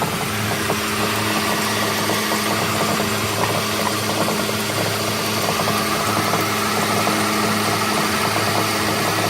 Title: Whats that knocking noise?? Ford Xh pannel van fix ups